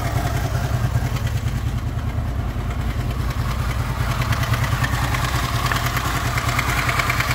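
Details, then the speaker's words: Honda VFR800 VTEC V4, 58,200 mileage, before timing (cam chain) replacement: deep idle with fast metallic clatter as revs lift slightly, heard mainly on the right side from the front cylinder; stretched cam chain rattle. "причем звук хорошо слышен с правой стороны в основном идет с переднего цилиндра потому что здесь практически его не слышно"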